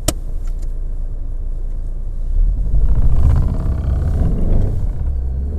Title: Opel (Vauxhall) VectraB (Z16XE 1.6 16V) P0304-00 Cylinder 4 Misfire Detected